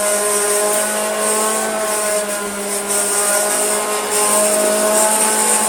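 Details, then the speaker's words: Hoover Junior Dirtsearcher 1354A vacuum as received: steady motor hum with hard tonal buzz and wavering drone; motor, not brush roll, vibrating and not turning straight, possibly due to crud seen under it. "Let's just check if that's the brush roll or the motor making that awful sound. It's the motor. It's really vibrating."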